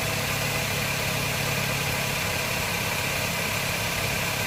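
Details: 2009 Honda Jazz 1.5 GE: steady, even idle hum with no rattle or grinding from the A/C compressor clutch, the clutch assembly having been replaced for noise and failure; quiet, healthy idle.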